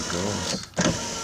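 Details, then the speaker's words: 2003 Chevy S10 crew cab passenger power window, fixed after the outer weather seal slipped and jammed the regulator arms: a short, even motor whir with no grinding or binding; normal operation. "okay so it's all back together now and and it works great"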